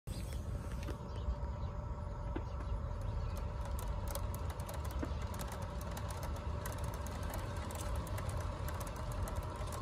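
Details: Tesla Model Y on its first day, driving: a light, quick ticking over road rumble and faint motor hum, caused by poorly molded wheel cover clips rubbing the rims.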